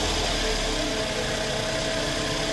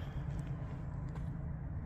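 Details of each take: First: 2008 Scion xB petrol engine, 352,000 miles, at startup around an oil change with Liqui Moly engine flush: busy idle with a fast ticking clatter, loud valvetrain noise; cause not confirmed. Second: Scion xB engine after Liqui Moly engine flush, oil change and Liqui Moly anti-friction additive, at startup: low smooth idle hum, steady rhythm, no tapping or rattles; motor much quieter than before.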